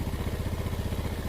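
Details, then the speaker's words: Freshly rebuilt Yamaha Vega ZR engine, first start on choke: quick even single-cylinder putter at raised idle, no knocking or misses, oil spraying properly; normal idle. "Oke, ini udah nyala dan mesin udah halus, oli nyembur."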